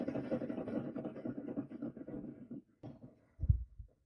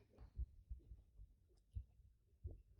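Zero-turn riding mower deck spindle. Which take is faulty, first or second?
first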